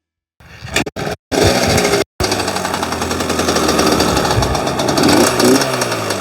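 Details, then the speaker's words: Yamaha Banshee two-stroke quad: ragged, stumbling note that never smooths out; the left cylinder isn't firing and its pipe stays cold, owner suspects that cylinder's spark plug boot wasn't installed correctly. "still not great i think uh i think that one plug boot is messing stuff up because it seems like the the right their left cylinder still doesn't want to fire and the pipe is cold too"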